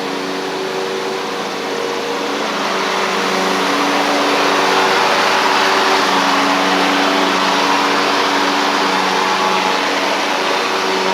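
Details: Ferris stand-on mower with Briggs OHV twin, after repair: had run on one cylinder because a loose intake pushrod guide bolt threw the pushrod off; pushrod not bent, refitted, valve gap fine. Steady even drone while riding, both cylinders firing, no misfire.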